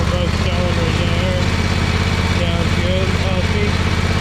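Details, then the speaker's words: John Deere X500 Kawasaki twin after cylinder head replacement (valve guide failure), choke held halfway, owner suspects really bad gas: steady even thrum from both cylinders, no misses or knocks; normal healthy running. "oh there it is running I have to hold the choke halfway on I think it's got really bad gas in it but it is running on"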